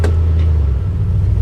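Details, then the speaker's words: 1971 Chevy C10 4x4 at salvage auction yard: deep, steady rumble with no knocks or rattles as the truck is put in gear, engine healthy under light load; normal running in gear. "Yeah. Oh yeah, she's got gears."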